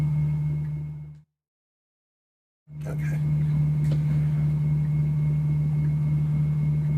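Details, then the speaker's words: SSG linear amplifier regulator pulse-motor battery charger: loud steady low buzz, briefly cutting out and returning, as it pushes heavy current into a drawn-down battery approaching 14 V, making sure amp hours are restored; working normally. "it's just pushing like heck with current to get that battery up there you can hear it in the machine mhm you can basically hear it"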